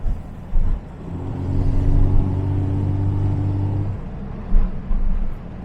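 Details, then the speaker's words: 1975 Jaguar XJ6 with 123 ignition distributor, driving on a hot day, misfiring under load with an uneven stumbling drone and thumps since alternator replacement; owner suspects ignition, fuel not ruled out. "still misfying yeah you hear that there's there's some weird stuff going on"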